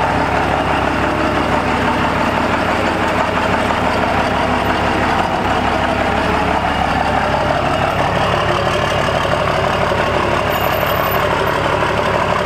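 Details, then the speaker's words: Compound-turbo 12-valve Cummins diesel, hood open: steady idle with fast faint puffing tick on each firing pulse; new ticking, soot rising from around the exhaust manifold indicates a leak. "you guys notice how they never had that taking some before and now it kinda has like he rubbed it up with the hood open you could see the soot come up from around the manifold"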